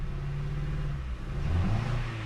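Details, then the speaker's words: Ford Focus with newly installed faulty spark plugs, engine vibrating, flashing check engine light and code P0300: deep lumpy rev with uneven low beat and shaking; multiple-cylinder misfire from faulty spark plugs. "right so you see the check light flashing right and when i scan the car tell me p 0 300 um multiple misfire right so this is what's happening with the new plugs in the vehicle"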